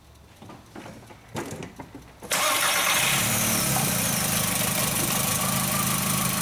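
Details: 2004 VW Jetta 2.0 engine, code P0303: starter catches and settles into a slightly lumpy idle with a faint regular stumble; cylinder 3 misfire, coil sparks weakly and cannot jump a gap.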